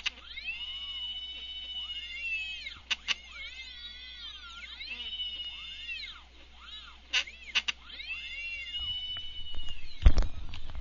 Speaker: you can hear from the motors they tend to whine out a bit as they go and these are bolted to a steel plate so you'll hear a bit of rattling going on in the background as they resonate